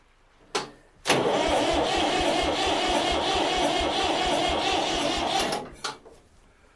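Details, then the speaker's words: Old Massey Ferguson tractor that sat in a barn 3–5 years, first try on a battery: starter spins the engine strongly and evenly, about two and a half compressions a second without dragging; healthy cranking, "not dead." "well it's not dead yeah and that actually sounds pretty good don't it come on baby"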